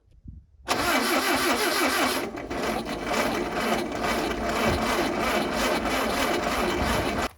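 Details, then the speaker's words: Car with a just-cleaned carburetor, tried without the vacuum line refitted: the starter churns evenly for about six seconds and the engine never catches. The cause is unconfirmed. "Kao da struju ne vaca usta, idem ček kapu da mu za mene, vidimo šta će tada kaže."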